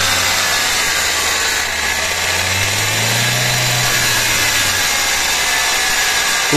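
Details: Vehicle with noise whether in neutral or in gear, running on a lift: a harsh whirring grind over a low drivetrain hum that rises and falls, from a broken differential gear.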